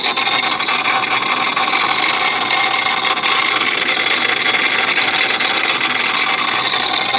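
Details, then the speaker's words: Modified car driven at 2,000 RPM: sudden harsh, steady rasping roar with heavy hiss and little low rumble, very loud from the intake, belt still on; cause unknown, owner hopes something loose, fears block or head. "This noise just happened when I was driving at 2,000 RPM down the road."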